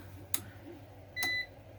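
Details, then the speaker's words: APC BN450M 450VA (255 W) UPS with a load on one of its ports: sharp click then steady high beep about a quarter second, beeping before even being unplugged; cause unclear. "i didn't even unplug it yet it's beeping at me"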